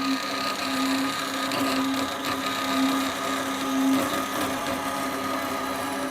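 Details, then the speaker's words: Extruded aluminium bar being cut to size on a saw for a vacuum test fixture; steady high buzzing whine holding even pitch through the cut, no chatter or stalling, cutting quickly and cleanly — normal saw cut. "it's amazing how quickly this saw goes through half into aluminum"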